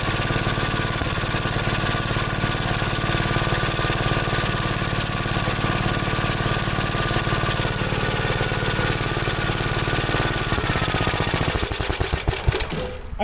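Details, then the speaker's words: 1973 Gravely C8 single-cylinder after top-end rebuild, also popped before: steady chug broken by uneven exhaust pops and stumbles, three to four a second; misfire, suspected ignition. "to me definitely sounds like an ignition problem this fire"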